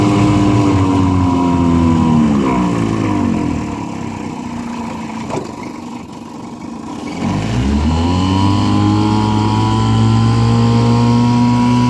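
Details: 1955 Johnson CD-12 5.5 hp outboard, rebuilt with new points, condensers, aftermarket coils, wires, plugs and carb kit, on a boat on a pond: steady drone easing off then picking back up cleanly with throttle; healthy.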